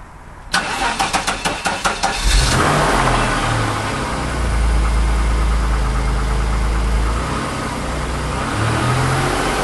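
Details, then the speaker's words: 1991 Chrysler LeBaron convertible, fuel-injected, cold start after nearly 7 months sitting through a Minnesota winter, new battery: about two seconds of sluggish, uneven cranking before catching into steady idle; owner thought battery sounded low; starter later replaced. "and i thought that new battery sounded a little bit low though i wasn't too happy with that and it went or then it finally went"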